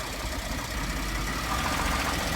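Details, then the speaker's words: 2014 Ford F-150 3.5 L EcoBoost idling once warmed up, heard from under the truck where engine meets transmission: dull quick knock steady under the low rumble, starts only at operating temperature; oil pressure good; cause not confirmed. "All right, let it idle. You can hear the knock."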